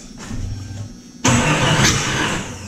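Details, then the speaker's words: Jeep Cherokee cranking after spark plug and distributor work: one sharp loud pop with throttle opened, a backfire straight out of the intake; ignition timing suspected 180 degrees out. "yeah that's straight out of the intake all right so we're off somewhere yeah we might have it 180 out at this point"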